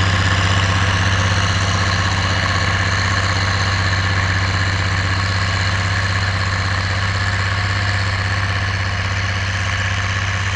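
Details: Oliver 1550 diesel tractor pulling a JD BW disk about 6–8 inches deep, running well once whatever was in the fuel system cleared: deep, even rumble at about four beats a second, steady with no misses or knocks.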